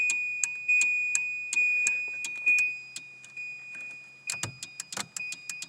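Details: Volvo 940 wagon during harness cutting for V8 swap, ignition on after removing a humming relay: even ticking chime about once a second with thin high tone and no hum; electrics normal, no ABS light.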